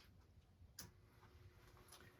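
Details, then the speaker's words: Ingraham strike clock model SSD1 from 1936, electric, after repair and restoration, plugged in on workbench: soft, even ticking with faint hum, no irregular catches; movement runs steadily. "And it's running."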